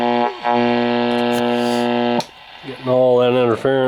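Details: 1967 Zenith Royal 3000-1 Trans-Oceanic radio, first power-up on an external 12 V supply with speaker wires reconnected: a steady low buzzing hum with overtones under the station audio; electrical interference suspected, not confirmed.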